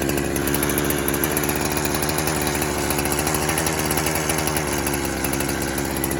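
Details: 372 clone chainsaw that kept leaning out after fuel was added, warming after a cold start: it holds a high, buzzy rev that wavers slightly, a lean run from an air leak.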